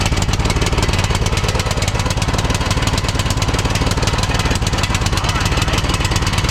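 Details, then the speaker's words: 2006 Troy-Bilt Pony lawn tractor single-cylinder after carburetor replacement and new plug: loping, uneven idle about three pulses a second that never settles, running rich; new carburetor faulty, idle adjustment didn't help. "Okay. Well, it doesn't seem like it's running very good on this carburetor."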